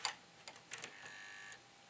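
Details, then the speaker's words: Old Mac running Panther, tray-loading optical drive before a Mac OS 9 install: sharp irregular ticks and clicks then a thin motor whir as the tray moves, sounding rough and worn; drive thought to be on its last legs. "That doesn't sound right. Let's try that coming out now. Ugh. Yikes. Alright, well, this thing is probably on its last legs."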